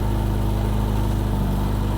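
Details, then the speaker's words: Barn-find 1987 Reliant Rialto 2 first start after sitting, water in it; steady even low rumble with smooth unbroken beat, no knocks or misses; normal idle. "Oh, wait. That sounds so sweet. That is lovely."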